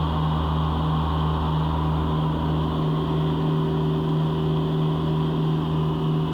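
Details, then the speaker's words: Gianni Ferrari mower with deck clogged by palm fronds and grass, full on mulching, nothing going up the chute: loaded drone with low pulsing hum that dips and recovers; engine labouring. "You'll hear the revs drop down a bit as it's full on mulching now. Nothing going up into the chute."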